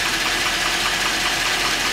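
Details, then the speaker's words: 2010 Hummer H3 Alpha, LH9 5.3L all-aluminum flex-fuel V8, 2,500 miles, fully warm after about one hour: a steady fast light knock that does not fade. GM calls it piston slap, worsening since 1,000 miles; owner suspects rod knock. "This is the diagnostics of GM's piston slap. The vehicle has been running for approximately 1 hour."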